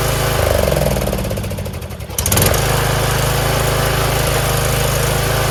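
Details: Troy-Bilt Pony lawn tractor single-cylinder after valve adjustment, safety-switch fix and fresh oil: started on choke, it catches after a brief dip and settles into a steady, even idle; charging at 13.35 V. Normal idle.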